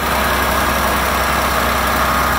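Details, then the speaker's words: Non-running Hyster H80C forklift first started after priming its electric fuel pump, fed from a water bottle: the engine runs an even, steady idle with an unbroken beat and no misfires or pops; normal idle. "running good what she's read it really good oh man that's awesome"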